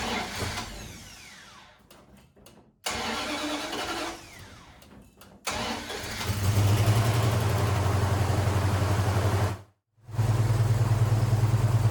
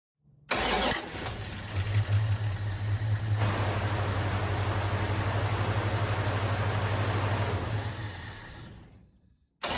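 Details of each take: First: 1974 Plymouth Duster 318 V8 after years neglected in the desert, fuel hoses replaced, fed gas poured into the carb; short cranking, catches into a steady low rumble, briefly cuts out, refires and keeps running; wiring arcing noted: starts after long storage. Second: 1974 Plymouth Duster 318 V8 with manual transmission, revived after years sitting, temporary fuel line repairs: cranks briefly, catches and settles into a steady idle for about eight seconds before shutoff; runs fine, no leaks seen.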